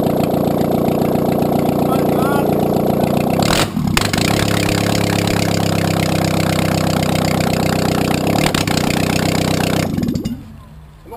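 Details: Audi A2 1.6 FSI (BAD engine), first start after engine repair following a timing belt failure caused by a broken plastic idler pulley: catches after a brief crank, settles into an even idle without knocks, shuts off cleanly.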